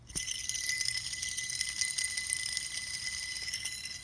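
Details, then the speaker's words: Idler pulley removed from a 2001 Mustang GT, spun by hand: gritty continuous metallic rattle with a thin steady ring from a worn bearing; on the car it sounded like a loose belt, pulleys should be silent. "here is an idler pulley that i took out from my car because it was making a really annoying noise that sounded like the belt was loose"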